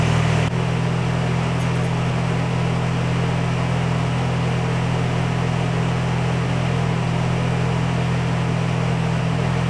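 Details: Nissan 240SX S14 with a freshly installed KA24DE, Honda coil packs and ECU Master, oil primed by cranking, catches within half a second and settles into a steady, even idle with no knocks or misses; normal start.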